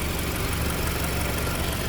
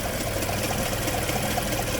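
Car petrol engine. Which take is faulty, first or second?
second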